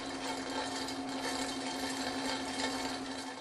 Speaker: Another abnormal sound that you may hear coming from a centrifugal pump is a loud rattling that sounds like marbles rolling around inside the pump.